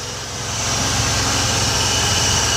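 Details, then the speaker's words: Ford 300 inline six truck converted from EFI to a carburetor, full 2.5 in exhaust: steady, even low rumble holding its pace with no knocks or misses; sounds like a tractor but runs smoothly. "she does run in it sounds pretty decent it does sound like a tractor though I have to admit it sounds like a [Music] tractor"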